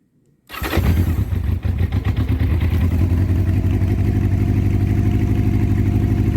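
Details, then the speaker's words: 1984 Honda CB700SC Nighthawk on full choke, mild weather, carbs rebuilt elsewhere, oil-leaking gasket just fixed: cranks and catches, then lumpy uneven idle with stumbling beat, one side sounding off; a cylinder suspected not firing cleanly. "okay just leave it on Chu for a second this side sounds funny let's take some choke off here it's not cold outside by any means"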